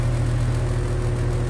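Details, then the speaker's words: Home AC unit at about 77°F outside, blowing cool air: only a steady low fan hum, with no compressor thrum underneath. Compressor not starting, blamed on a failed old run capacitor. "No. No compressor. No compressor. I don't know if y'all heard that. Old cap."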